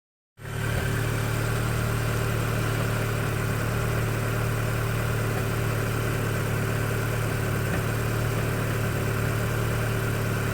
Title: Audi S3 8P1 knocking noise on cold start